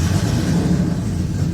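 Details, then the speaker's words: Nissan 240SX with big-turbo RB swap at first start, no AAC or cold start valve, airflow meter reading nothing: an uneven, lumpy low rumble held just above stalling by throttle, dying otherwise. Owner suspects the airflow meter. Rough running. "so I I have to keep it running or I have to keep my foot on the gas otherwise it'll die out"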